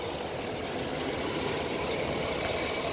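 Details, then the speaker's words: 2013 GMC 2500 at pre-purchase inspection, recorded under the hood: a smooth, even idle with no knocks, ticks, or belt and pulley noise. There are no leaks and it is charging at about 14.5 V, so the engine sounds healthy. "the engine seems to run nice and smooth haven't taken our test-drive yet I will after the video but as you can hear there's no belt or pulley noises anything like that"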